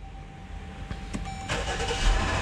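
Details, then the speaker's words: Jeep Grand Cherokee with new battery and new starter, push-button no-start complaint (P058D), first crank after cold overnight soak: short crank catches and fires into rising idle; low battery voltage questioned, then ruled out, intermittent no-crank cause unconfirmed. "uh oh damn it is actually doing it guys could it be low battery voltage"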